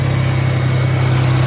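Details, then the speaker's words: Car that sat about a month with a dead battery, jump-started with an Autowit SuperCap 2 super-capacitor jump starter: a smooth, steady low idle drone with no misses, knocks or ticks. It idles normally. "You just jump it, and then it start right away, because this thing no need battery at all. So right now my car is running again with the help of Autowit."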